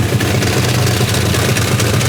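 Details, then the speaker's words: Toyota Supra 2JZ engine after new pushrods and roller rockers were fitted. Deep, steady idle with an even low rumble and no ticking or tapping from the top end; the valvetrain sounds healthy. "that's good that's real good this thing sounds so freaking cool dude sounds good sounds good"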